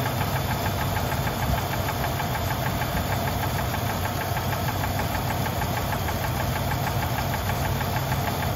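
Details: High-mileage engine with 190,000 miles, treated with a quart of Lucas Oil Stabilizer at the oil change: fast steady lifter tick over a rough idle with a duller top-end knock underneath, present on morning starts and sometimes even when warm.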